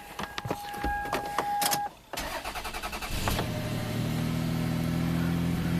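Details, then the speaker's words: 2000 Toyota Sienna, 1MZ engine, 540,446 miles, P0305 cylinder 5; beeps, start, idle stumbles with uneven pulses, then smooths when revved while injector waveforms look normal, pointing to ignition: misfire from faulty ignition wire. "and this is where it was misfiring and then i revved it up and it got smoother right here got smoother so it's actually looking like an ignition ignition problem here"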